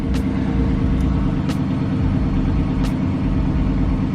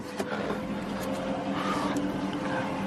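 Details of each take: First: 2007 Chrysler 300C 5.7 Hemi after alternator replacement: smooth, even low idle with a few light clicks and no whine, with 14 V at the battery and 13.9 V shown. Normal idle. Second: 2007 Chrysler 300C 5.7 Hemi at idle: steady high whine over low engine hum at constant pitch; battery light on, radio cut out, voltage falling to about 12.5 V, bad alternator.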